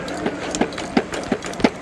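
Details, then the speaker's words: Hitway BK15 budget electric mountain bike going down a curb: dull knocks about every third of a second as the overly soft front fork clunks while it extends on rebound. "Ouais, vous entendez là? Donc ça, c'est quand ça remonte, le bruit."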